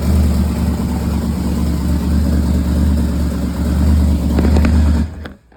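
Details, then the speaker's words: LY2 4.8 LS V8 on UA4C board ECU, second start on gas: cranks right up, steady even rumble, no misses; headers burning off, no radiator, water or alternator, temporary wiring, run only 30-40 seconds; healthy start and idle. "Second start up on gas, cranks right up. Of course, stuff's burning off the exhaust, the headers and all."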